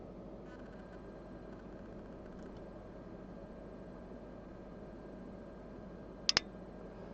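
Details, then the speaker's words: Audison VRX 1.500 car amplifier, damaged by undervoltage during a booster jump start, powered up on a protective bench supply during repair; quiet hum then two quick sharp clicks as both relays engage, a normal power-on. "voilà on a entendu les claques bon je vais éteindre"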